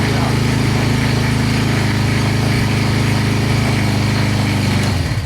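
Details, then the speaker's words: GK-150 go-kart single-cylinder engine with an automatic choke built into the carburetor, cold start: a fast, steady putter held high on choke with even firing, then dropping away at shutoff; normal cold fast idle. "So as it warms up, you'll hear the idle drop down."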